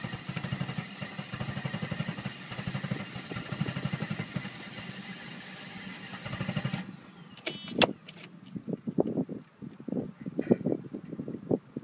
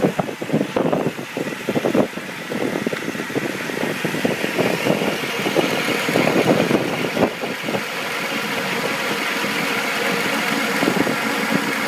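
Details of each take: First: 1990 Mercedes 300SE 3.0 straight-six that has been sitting: steady cranking for about seven seconds without catching, a hard cold start. It is also low on power but shows no blow-by; the owner suspects fuel adjustment or plugs/cables, and starting fluid usually fires it. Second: 1990 Mercedes 300SE 3.0 straight six, warmed up: even settled idle hum with no shake or miss, runs like a sewing machine; hard cold start and low power, possibly cold idle solenoid, fuel adjustment or plugs; low power-steering fluid causes a buzz.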